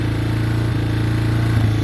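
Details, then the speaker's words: Yamaha Wolverine ATV in neutral after carburetor rebuild: steady low thumping idle that sags and stumbles briefly; the idle speed is set slightly too low. "now i got the idle a little bit too low i'll look back up here for a second that's the only thing about it is the idle is not quite right"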